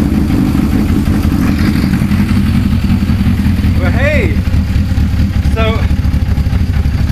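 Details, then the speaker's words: Suzuki GS550 cafe racer, previously running on three cylinders with cylinder 3 dead, after carb strip and reassembly: steady, even four-cylinder idle burble, no missing beats; all pipes hot, all cylinders firing, engine healthy. "they're all hot to touch now so all four cylinders are working and it sounds bloody good really bloody good"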